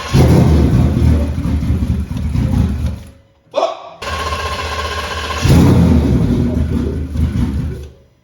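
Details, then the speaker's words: 2020 Ford F-150 4x4 on first start after twin-turbo (67/66 ball-bearing) install, fuel pouring from exhaust cutouts: deep, heavy note labouring and dropping off instead of revving; running rich, too much fuel from the wrong MAP sensor. "hear how bogged down that sounded? Yeah. Just so bogged down. Yeah. There's too much fuel."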